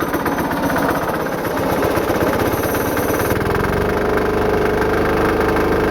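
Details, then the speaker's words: Home-built diesel engine-driven air compressor on test run: harsh, rapid hammering chatter for the first seconds, then a steady whine; the drive clutch vibrates and grabs, locking up instantly even at very low rpm; clutch faulty. "I don't know what's going on with that clutch but it like vibrates and starts engaging instantly Like You Hear It Go food it's vibrating and it locks up and engages instantly even if it's had really low RPM"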